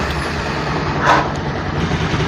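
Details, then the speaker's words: Carbureted vehicle after reseating coolant temperature sensor whose broken pin made ECU run radiator fan constantly: steady, even idle, fan now off, no surging or misfire. Normal idle. "பார்த்தீங்கன்னா வண்டி ஐட்லிங்கில் தான் ஆடிட்டுருக்கு, fan ஓடல."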